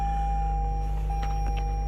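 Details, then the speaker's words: 2019 Toyota Camry that previously would not start, now running after the fix: deep, steady engine drone with a constant chime tone over it, running evenly; normal. "There you go. The car started. The car started. As you guys can see, you can hear that engine going."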